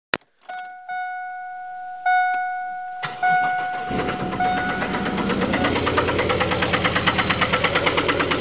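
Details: 2000 Pontiac Grand Prix GT 3800: after a few chimes it cranks and catches, then a steady bad engine knock taps at idle, about three a second.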